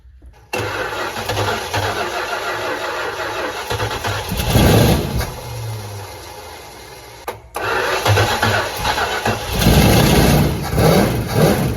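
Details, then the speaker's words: 1963 Dodge Dart 270 convertible with Mopar 360 V8, after freeing a sticky carburetor needle and seat: fires quickly into a deep, even V8 burble with clean revs, no knocks or stumbles; normal running. "Why does it sound so good?"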